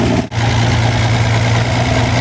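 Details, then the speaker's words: Wolseley 14/56 14/60 six-cylinder engine on a stand after years of storage, oil changed: steady, even idle with smooth low hum and no knocking or tapping; bottom end quiet, exhaust leaks present, compressions within 10psi; normal idle. "that's not a bad start I'm not unhappy with that bottom is lovely and quiet though"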